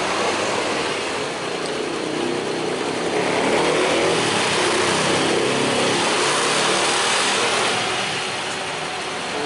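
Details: Honda Vario 110 carburetted scooter with a hard-starting complaint after ignition and starter parts were replaced: once kick-started it gives an even, steady idle hum under hiss, with no knocks; charging reads a normal 13.2 V.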